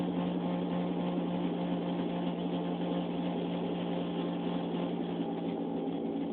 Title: weird noise from my car